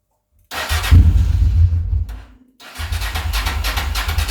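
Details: Honda Transalp XL600 V-twin after fitting replacement carbs for cracked ones (also had faulty CDI, ran on one cylinder): short crank, fires and revs strongly, dips briefly, then settles into an even, throbbing twin idle without misses; normal running, idle slightly low.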